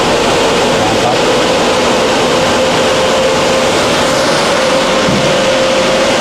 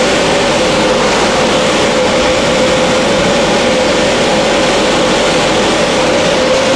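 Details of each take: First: 1300 CFM inline range hood blower at high speed after fixing its imbalance and vibration: loud steady air rush with an even hum, no wobble or thumping; quiet, normal running. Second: 1300 CFM inline range-hood blower running on high with its blade shifted off-center, giving loud rushing air over a steady hum. The off-center blade is meant to cause serious vibration.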